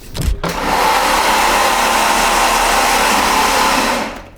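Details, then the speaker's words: Renault Clio being cranked after dyno tuning went badly: steady whirring drone with a gritty edge for about four seconds; owner suspects starter gear or brush noise, not confirmed. "tamam yeter bu kadar içi benzin yağma kalmadı Bir de çiz şükür kitlemiş ama ya dişli sesi geliyor ya Kömür sesi sanki marşın ne gelirse gelsin orayla ilgili hiçbir şey umurumda değil yani"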